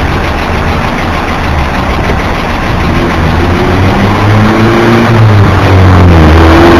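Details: BMW E46 just after start-up: loud even ticking about four a second over steady idle, audible from inside the car, usually fading after seconds but sometimes lasting over a minute; cause unknown.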